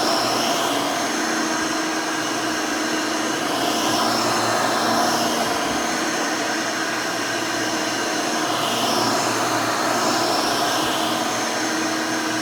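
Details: Rebuilt Hoover Elite 600 upright vacuum, built from parts of several Elites, with a new 7 amp motor and 20-blade fan replacing the original 6 amp: a steady, even motor whine with a smooth rush of air and no rattles or scraping. Runs smooth and fairly quiet.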